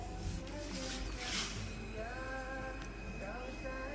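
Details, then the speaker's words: ZQpro speaker on AUX input via RCA with volume fully up: music faint and thin, barely above room noise; a strange noise appears when the cable is unplugged. Faulty speaker with weak output. "suaranya cuma segitu to sudah full padal"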